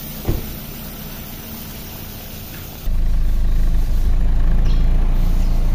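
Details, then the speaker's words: Suzuki Ertiga after periodic 10,000 km tune-up and carbon cleaning of the combustion chambers (Pertalite low-octane fuel deposits); low, smooth, steady hum with very minimal vibration, no ticking, knocking or misses, healthy normal idle. "getarannya sangat minim sekali nyaman untuk mobil keluarga"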